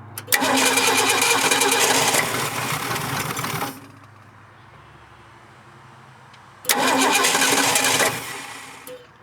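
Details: 1967 Ford Bronco parked 26 years, cranked with a little starting fluid: two long cranking bursts, starter spinning steadily without a single firing stroke. Turns over but never catches; owner plans to feed it from a temporary gas tank.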